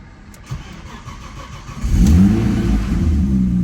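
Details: Audi B5 S4 after DIY timing belt job, battery a little low, flex fuel sensor fitted: quiet, then engine catches near two seconds and settles into a steady, even low rumble, no knocks or ticking; normal start-up.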